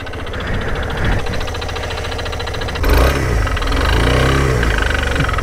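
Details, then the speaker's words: Single-cylinder motorcycle running with a rapid clicking tick (clic, clic, clic) riding on the exhaust beat, rising as the bike pulls; described as a knocking noise, source not yet identified, before the repair. "entendez ça, mais ce moteur produit un bruit de cognement. Ça fait comme clic, clic, clic, clic, clic, clic, clic, clic."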